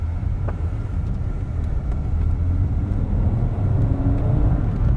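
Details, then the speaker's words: Audi Coupe GT five-cylinder, first drive after restoration with new cam belt, accelerating on road: deep, even five-cylinder thrum building smoothly with revs, no knocks or misses, though owner finds it not loud enough; healthy engine under acceleration. "There's a thrum, a deep thrum of 5-cylinder noises going on as the revs build, but it's not quite enough for my liking."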